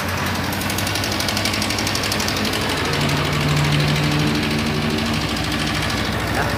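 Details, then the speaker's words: Kawasaki Ninja 250 FI: a fast, light metallic clatter at about four ticks a second rides over the cold idle. The cam chain tensioner is worn, leaving the chain slack and rattling. "Jadi untuk permasalahan dari suara yang seperti ini guys itu ada di bagian Tensioner keteng ataupun biasa disebut tonjokan ketengnya ya kalau untuk bahasa-bahasa bengkel sehari-hari yaitu tonjokan keteng"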